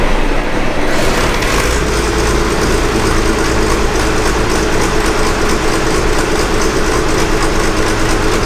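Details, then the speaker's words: Gleaner F combine after replacing separator clutch shaft bearings, belt tightened and everything greased, first start: steady, even machinery drone with no squeal, knock or grinding; much quieter than before, drive sounds healthy. "but you guys won't believe this there is absolutely no noise coming from this"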